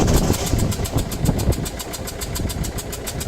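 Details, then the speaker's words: Uneven idle with lumpy low thumps over fast ticking, a cylinder misfire; dirty injector bores not cleaned properly can stop a new injector sealing the combustion chamber. "if it's not cleaned properly and you install a new injector in there it's likely that the new injector will not seal the combustion chamber properly which can cause issues such as cylinder misfire like this"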